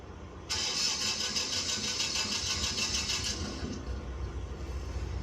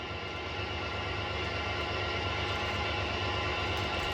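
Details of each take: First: Auction-bought Prevost Vantare Featherlite motorhome, house batteries dead: starter grinds about three seconds, generator catches into a steady low rumble, then the starter whirs briefly again; normal cranking and start. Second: Auction-bought Prevost Vantare Featherlite motorhome at idle: steady airy hiss over the diesel idle that sounds like the air dryer purging but is the air system safety pop-off valve blowing off, possibly the one on the dryer.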